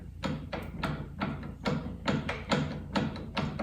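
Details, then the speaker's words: 2006 Harley-Davidson Softail Springer, front wheel off, fork rocked by hand: sharp clunks about twice a second; neck bearing feels okay; worn fork bushing. "it is completely beat to hell that is not can you hear that that bushing is completely completely worn out"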